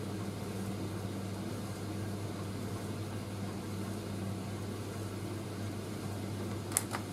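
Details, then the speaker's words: Indesit IS31V 3kg compact reversing tumble dryer running, motor kicking back in after drum reverse; low even, very quiet motor hum, no knocks or scraping; normal motor running. "but do you know what there's a reverse but even when the motor kicks back in it's a very very quiet warm"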